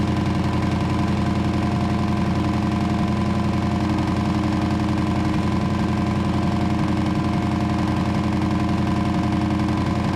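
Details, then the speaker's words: 1934 Ford chassis with 1960s Buick Nailhead V8, first run in about 40 years, fuel poured in because the accelerator pump isn't working: deep, lumpy rumble with an even beat of about 220 pulses a minute through open pipes. Normal idle. "slingshot engage well she runs you better open some doors though"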